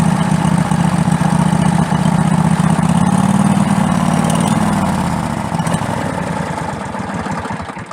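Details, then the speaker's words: Craftsman LTX1000 lawn tractor small engine after a cable adjustment: steady idle that swells and sags when revved, a surge it never used to have; owner suspects the fuel system, such as the fuel filter or low fuel in the tank. "So as you can hear, there's a bit of a surge in there when you go to rev it. This engine never used to do that, so I'm thinking it's something in the fuel system."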